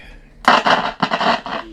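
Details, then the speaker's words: Nordmende Carrera portable radio on batteries, on FM: irregular bursts of harsh crackle and scratching as the volume knob turns, very noisy at the bottom of the pot; scratchy volume potentiometer. "Very noisy on the bottom of the pot there."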